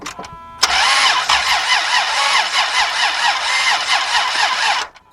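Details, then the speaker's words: 2003 Dodge Grand Caravan 3.3, fuel pump relay removed, spark tester fitted: starter cranks about four seconds, slow, even and light with no compression pulses, never catches; no compression suspected, battery possibly weak. "no compression it didn't sound like it had any compression so this is where they said listen this is done deal but it is creaking over kind of slow"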